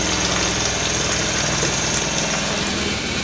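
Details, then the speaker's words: 2017 R-Pod 179 travel trailer water pump running on battery with sink tap open: constant buzzing hum and thin steady whine, no surging or rattles; normal water pump operation. "hear the water come come on so that's good too that's what it's supposed to do was to be able to work on battery"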